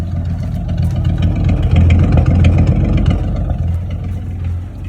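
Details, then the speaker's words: 1962 Chevy Biscayne, original 235 inline six, after temporary budget exhaust fitted: deep, steady exhaust pulses about 220 a minute, no puffing or ticking from a leak; much quieter, sealed idle. "But exhaust is in, she's running. We're good. Makes the engine incredibly quiet now that the exhaust isn't dumping right out the bottom, but yeah."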